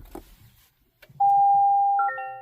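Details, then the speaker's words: 2024 Toyota Tacoma Hybrid, almost 5,000 miles, won't start: steady chime on pressing power, stepping to higher two-tone pattern, no start; ready light flashing, EPB activation stopped incompletely; weak 12V auxiliary battery cell. "it says power on system stopped EB EPB activation stopped incompletely nothing's happening so if I put it like in drive it just says hybrid system stop shift in the park"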